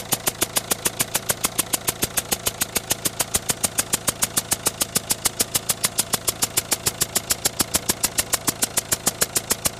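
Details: Citroën Berlingo 1.6 HDi diesel, 123,000 km, at idle: sharp, very regular ticking about 136 per minute over the idle, unchanged throughout; noise and smoke at start, smoke fades but noise stays, cause unknown.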